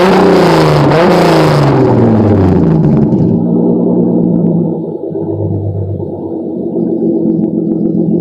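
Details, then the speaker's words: Acura Legend, mechanically properly tuned, revved for a few seconds: a clean rev rises and falls smoothly, then settles to an even, steady idle with no knocks or misses. Normal engine revving. "So yeah, that's what an Acura Legend sounds like when it's properly tuned, mechanical wise."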